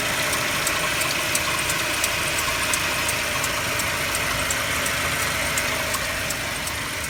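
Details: Mercedes-Benz W204 with M271 engine, cold idle: sharp, regular light tick about three times a second over the engine hum; knock source not identified, owner asking for help.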